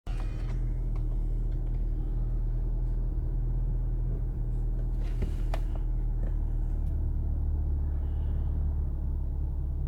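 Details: 1.4 TSI Seat Leon 1P after timing chain replacement: heavy, uneven idle rumble that swells and eases with vibration, sometimes on mornings when cold.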